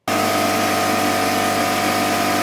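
Loud, steady buzzing drone with a constant high whine and no knocks or stumbles; compressor running normally.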